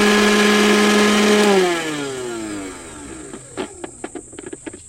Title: Why is the juicer grinder making noise?Joe Sir Grinder Repairing